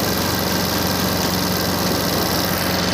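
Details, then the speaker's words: Suzuki Access BS6 fuel-injected scooter showing FI warning and check-engine light; steady raised engine buzz holds high without dropping back to a slow idle. Mechanic suspects a cut or broken wire; cause not confirmed. "FI मतलब आपको दिखा रहा हूँ, पहले engine fast हो रहा है, ये देखो इधर FI लिख के आ रहा है और इधर इंडिकेटर से मतलब बता रहा है।"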